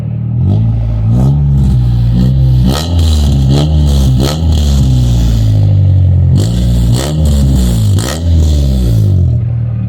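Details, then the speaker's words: Honda Civic with Hiest body kit, stock headers, muffler still on: clean repeated throttle blips, pitch rising and falling smoothly over steady idle, no rattles; doesn't sound bad. "Doesn't sound bad. It won't sound bad for a little Hiest Civic. And that's on stock headers too."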